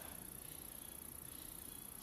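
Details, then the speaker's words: YI 4K action camera inside an aluminium case: a constant thin, very high-pitched whine over faint room hiss, loudest while in the case and much quieter once removed: electrical interference picked up by the camera's microphone. "ตอนนี้กล้องผมใส่อยู่ในเคสครับมันจะเป็นเคสอลูมิเนียมนะครับมันจะมีเสียงจี้จี้อย่างเงี้ยครับตลอดเวลาเลยครับเสียงจะดังมากโดยเฉพาะเวลาอยู่ในเคสแบบนี้นะครับ"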